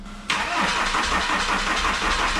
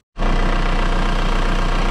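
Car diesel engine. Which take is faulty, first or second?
first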